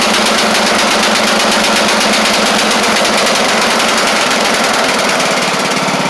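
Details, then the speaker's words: Craftsman LT1000 Briggs Intek after head work (push rods not bent, compression release working): starts right up and runs okay, but at high speed gives a loud, buzzy, uneven, blubbery beat, sounding rich. Owner suspects a bad carburetor or the mixture screw out too far. "I think this carb is trash or something unless he's got this screw out too far which I maybe maybe yeah I don't really like the way that uh that carb is"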